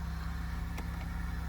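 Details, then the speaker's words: Buick LeSabre with a 3800 Series II V6 at 141,886 miles, idling after a cold start. Deep, steady idle with an even beat and no ticks or misses; good oil pressure, charging and coolant temp, healthy. "oh yeah always can rely on your Buick LeSabre z-- the good old 3800 series 2 engine 140 1886 miles"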